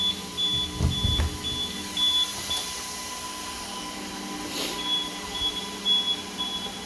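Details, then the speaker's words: APC 3000 UPS units with 16 new batteries, load tested with an Arista 7050 switch and fully loaded Dell R620 for about 1 hour 5 minutes: short high irregular beeps over fan hum; low-battery warning as one unit nears depletion. "and this guy here looks like she's about to go this one's not beeping yet this one is"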